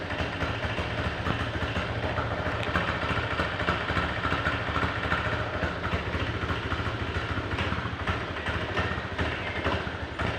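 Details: Motorcycle the owner calls "Pega Air New", idling with an uneven, rattly clatter of about three beats a second over the running note; abnormal engine noise of unclear source, cause being asked.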